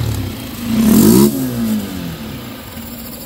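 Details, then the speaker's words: Yamaha Sniper 155, 39,289 km, after replacing cams and cam bearing: short rev blip falling back to quiet smooth idle, no top-end rattle; earlier rattle came from worn cam bearing, now healthy. "So ito na mga boss yung ginawa natin, palit cams. Ngayon, paanda rin Master JJ. Oh. Ah, ganda baga."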